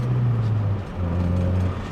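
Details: 1989 Honda Prelude Si test drive after throttle position sensor replacement: steady, even low engine note pulling smoothly with no hanging revs or surging; runs and drives properly.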